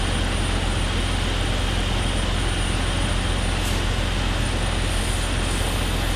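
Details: 2001 Jeep Cherokee XJ 4.0L at idle: loud steady rush of air with a thin high whistle; cracked vacuum line found by ear, hissing stopped when covered with a thumb; vacuum leak.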